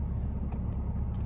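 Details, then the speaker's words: Porsche 987 fully warm engine after replacing the air mass sensor (air-oil separator also failing): low, steady, even idle with no stumble or stalling; previous rough warm idle resolved. "so i'll just show you now when i start the car that everything is fine again so there you go it's idling just fine"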